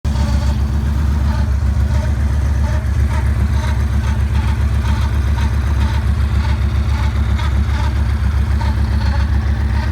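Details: 2009 Yamaha Raider V-twin at idle: lumpy idle with steady tick about three to four per second; abnormal engine noise, cause unknown.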